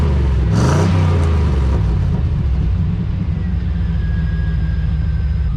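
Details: 1991 Chevy Silverado OBS small block with 399k miles, restarted after a cut piece was slipped back on unclamped: loud open-pipe blips, then a deep, fairly steady lope. Normal idle, sounds all right.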